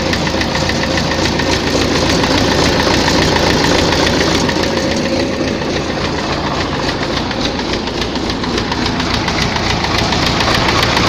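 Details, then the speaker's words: Tractor diesel at idle with steady, fairly regular knock about 3.5 a second over the rumble; heard at idle and mid revs, not high; fuel pump and injectors ruled out; heavily worn cylinder 4 found, head fine. "Щось у тракторі стукає. Топлівний возив, форсунки возив, не воно. Що? Буду розбиратися. На оборотах не чуть його, а оце на холостих, на середніх."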